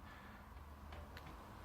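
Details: Sliding wardrobe door glides with a soft, low rumble after fixing a top roller that had a nicked edge and clicked; no clicking or crackling now.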